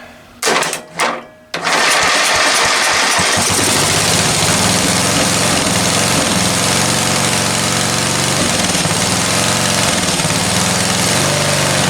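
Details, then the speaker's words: Discarded ride-on lawn tractor, small engine after the carburetor was cleaned again ultrasonically, on choke: two short cranking bursts, then it settles into a steady, even, fast beat with no misses. Normal running; oil level not yet checked. "that is sounding actually pretty damn good"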